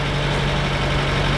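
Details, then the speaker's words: Citroen D Safari idling after a used muffler replacement: smooth, even, much quieter idle with a steady low hum and no ticking, blowing or rattling; normal idle. "Oh, that's much better. Much quieter, and I even gave her a bit of a rinsing off."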